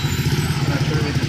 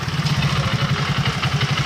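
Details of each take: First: Hero Super Splendor after replacing the clutch housing: small single running in gear with an even, quick, smooth thump, no rattle or clatter from the clutch side; normal running after repair. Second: Hero Super Splendor single: smooth at idle in neutral, but in gear as clutch releases a rapid even rattling clatter about seven per second persists even after new primary pinion; worn clutch housing.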